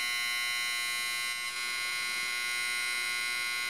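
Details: Homemade 12V-to-220V inverter with a small transformer and MOSFETs running: harsh, steady high-pitched buzz with many stacked tones from the transformer.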